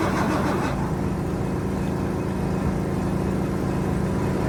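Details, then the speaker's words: 1973 Mack FR711 truck with 250C diesel, injector lines loose for bleeding: steady even cranking about one and a half beats a second, never catching; no start, injection pump not building pressure from air in fuel system, no fuel from cylinders three to five. "So, there's nothing there yet. So, it's seems like it's not building enough pressure in that pump yet."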